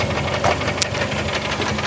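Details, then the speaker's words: 1996 Toyota Corolla, lifted and daily driven for a year, with a new timing set, oil pump, pulleys and belts: a steady light tapping over a smooth idle that never gets worse or better; engine tapping of unknown source. "you got me I have no idea what that is it never gets any worse never gets any better and I've been driving it this way for a year"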